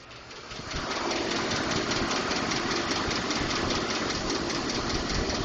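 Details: 2012 Ford F-150 5.0L V8 at idle: light, fast ticking about two or three per second over the idle. Ford diagnosed it as normal but is working on a solution; source not pinned down.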